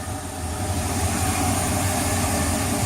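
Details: Boat marine V8 idling, noticeably quieter than before: steady, even low rumble with no misses, knocks or hunting. Idling smoothly and healthy.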